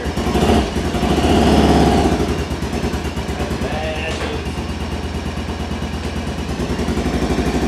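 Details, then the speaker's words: 2014 Arctic Cat Wildcat Sport 700 with a hard misfire, running on just one cylinder; lumpy, uneven stumbling beat that shakes instead of running smooth; spark plugs suspected. "it's got a terrible terrible misfire on it so we need to figure out what is going on with that I'm thinking spark flux we'll find out"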